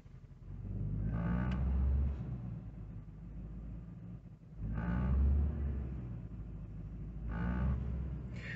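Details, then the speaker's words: Infiniti M45 V8, after suspension, brake work and new spark plugs, PCV valves and air filter: low droning vibration around 900 rpm, swelling and fading, also felt at the passenger door; caused by aftermarket aluminum undertray contacting the oil pan. "So when I put it back on the ground and started driving it, I noticed a weird vibration right around the 900 RPM mark, like this."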